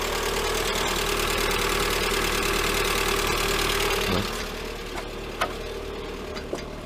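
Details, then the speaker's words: Lada Granta 126 engine just after first start following full rebuild (bored block, 82.5 pistons, new bearings, timing kit, valves, plugs): idles with steady tapping about four times a second and a labored note—rough running after rebuild. "Все, первый запуск. Ух ты, как тяжело-то. Первое время. Как тяжело работает."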